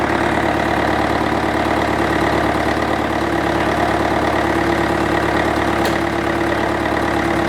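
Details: International 554 diesel tractor, not run for about 5 years: steady, even diesel clatter at idle with no misses or knocks; the engine runs properly.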